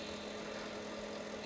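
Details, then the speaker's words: Squier Jaguar guitar with two single-coil pickups through an amp: steady low mains hum with a buzzy edge that largely goes away when the strings are touched. Grounding fault from bad factory shielding. Ground hum. "But he was doing some recording and he touched the strings and the ground noise went away."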